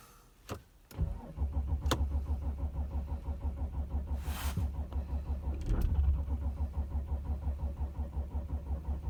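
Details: 2006 Audi A6 4F 2.7 TDI quattro, cold: the starter turns the engine over steadily, about three compression pulses a second, but it never fires; cold cranking no-start.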